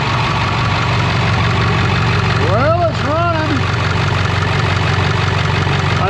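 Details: Skoolie bus "Delores" diesel engine at first idle after a new turbo replaced the blown one, started without priming, oil pressure came right up; even, steady idle with no hiss, whistle or knock over faint bird chirps, and no leaks. Normal idle.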